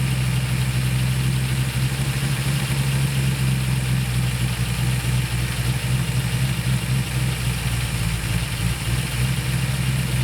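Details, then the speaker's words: 1966 Ford Mustang with carburetor: steady fast idle that never drops even with idle screw fully out; timed spark port has vacuum, owner suspects accelerator pedal holding throttle open. "that's what I'm talking about is that the time spark Port has vacuum present which usually means that the throttle is open but the idle screw is all the way out"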